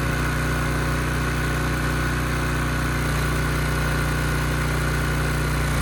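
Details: Ridgid generator with Yamaha MZ360 engine, about 10 years old, after repair, under a 3,000 watt load: steady even drone at constant speed, no hunting, misfire or knock; engine speed held at 60 Hz; normal running under load.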